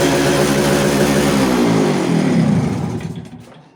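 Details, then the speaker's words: Yamaha RX100 two-stroke, kick-started right after a clutch bell upgrade; holds a fast buzzy idle far above normal, then winds down and dies, carburetor not yet re-adjusted: high idle speed. "तो भाइयों देखा आपने गाड़ी की यार सारी setting change हो गई है, मतलब आरपीएम अलग जा रहा है और क्लच अलग चल रही है, तो सारी चीज़ सेटिंग चेंज हो गई है। तो आरपीएम देखा आपने कितना हाई हो गया इसका आरपीएम।"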